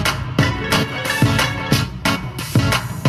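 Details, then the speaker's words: Honda CR-V front door after replacing speakers with Pioneer TS-A652C components: music plays cleanly with punchy drums, rattle gone, tweeter sounding perfect. "Everything sounds good, our rattle is gone, our tweeter is sounding perfect."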